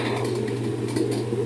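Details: Whirlpool washer that only hummed electronically at switch-on and did nothing, tested in spin with a new motor capacitor: motor now runs with a steady, even low hum and whir, normal; fault was a failed start capacitor, replaced.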